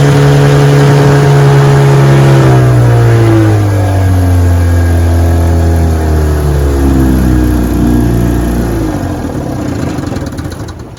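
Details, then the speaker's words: 1957 5 HP Sea King two-stroke outboard on a bayou test run on a chilly morning, pushing a 14-foot boat about 10 mph: crisp, even buzz easing lower as the throttle comes back, no misses or knocks; runs great. "All right, we're out here on the bayou giving her a test run. She runs great."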